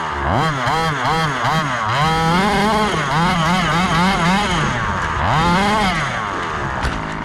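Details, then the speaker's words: Rovan Baja 5B fifth-scale gas two-stroke RC buggy after rebuild from a crash: small engine buzzes cleanly, pitch swooping with throttle blips, no misses or rattles; successful test run, running normally. "all right guys successful test run everything worked"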